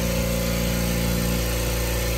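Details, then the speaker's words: New Kobalt air compressor on its first run, filling the tank from empty in a garage; steady even motor hum and low drone, fairly quiet; normal running. "All right, so now we have it running. It's not that loud, which is good."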